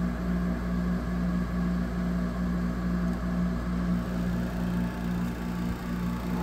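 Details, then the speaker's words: 2008 Frigidaire 6500 BTU window air conditioner FAA074S7A (Electrolux), compressor running at coldest: constant loud hum and drone with pulsing tone; cause not pinned down. "is this so you can hear just how noisy this thing is that's about as cold as it'll get"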